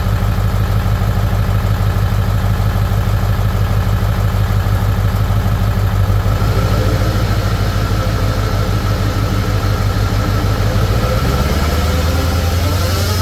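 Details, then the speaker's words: Ford Excursion 7.3 diesel, jacked up with rear wheels spinning free after an hour's drive with a loud whine: steady diesel clatter with a faint even whine; rear axle needs replacement. "drove this about an hour home and it was making the craziest like whining noise"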